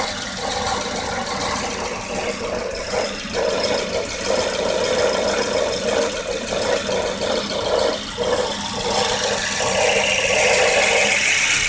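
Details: 1994 Volvo 940 with hard starting: uneven, lumpy idle with the beat dipping irregularly about every half second over a steady engine hum; rough idle of unclear cause.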